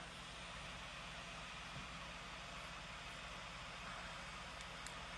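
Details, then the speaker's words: 16-inch MacBook Pro, i9, 32GB RAM, with only Final Cut Pro open before export: a soft, steady airy hiss at an unchanging level with no rattle, ticking or whine, so the cooling fan is running normally. "So yeah, my MacBook Pro is definitely ready to take over. Fly. I hear the sound."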